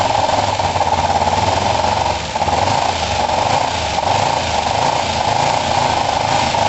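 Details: Kawasaki ER-5 twin after valve clearance setting and second-hand coil swap: uneven lumpy idle, choppy stumbling beat, hollow tone, likely firing on one cylinder; likes choke; owner suspects cleaned carbs need full strip.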